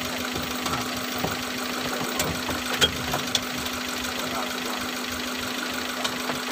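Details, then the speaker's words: Suzuki Futura fuel-injected, misfiring even after new spark plugs and coil. The idle hums steadily but with an uneven, stumbling pulse and irregular knocks. Misfire and rough idle, later traced to a non-working injector number 2. "ya kita coba hidupkan dulu mobilnya anting deh ya hai night mesin nyanting"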